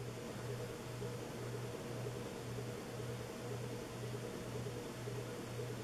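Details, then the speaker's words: 1980s Sanyo 132 cm decorative ceiling fan, made in Japan, four wood-and-cane blades, speeds about 65/120/165 rpm: steady low motor hum with a faint twice-per-second pulse under airflow while running; audible hum, cause unstated. "and it has a uh audiable humming sound too but still I find it very very cool the way it's made very"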